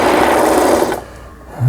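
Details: Brother PC15 home sewing machine, about 20 years old and unused about 10 years, after repair of the feed regulator, thread guide and stuck pattern mechanism: fast steady buzzing run that stops cleanly, no knocking or binding; stitching normally.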